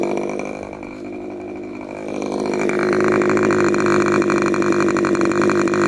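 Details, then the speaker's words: Rebuilt K&B 40 model 4011 glow engine (new bearings, ring, gaskets, hand-honed, ~12 oz run) on 10% nitro plus 4% castor with a 10x6 prop, peaking around 12,800 rpm. Holds a high, steady scream at full throttle without sagging. Exhaust leaks at the muffler. "so at least I'm going to believe the health of this motor is pretty solid so let's see what we got here"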